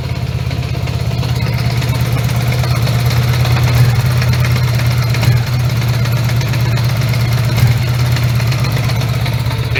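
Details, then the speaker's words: 1980 Honda GL1100 Goldwing, carbs recently overhauled, started cold with idle raised during carb sync: uneven lumpy beat with dropped pulses, not running on all four all the time; carbs suspected out of sync, warm-up needed. "Yeah, it doesn't run on all fours all the time."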